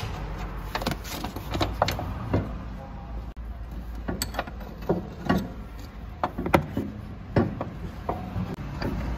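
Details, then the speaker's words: Opel Insignia 1.6 CDTI driving over potholes: irregular hollow clunks and knocks under a low road rumble from worn suspension parts, before replacement. "Ama bunlar Çukura düştüm zaman mı ses yapıyor Evet"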